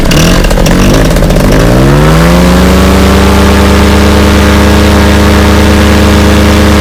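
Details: Fresh Breeze Monster paramotor, back from repairs, full-thrust run against a house wall: revs up in about two seconds, then a steady high-rpm drone with no burbles or missing, a little bang at the end; normal.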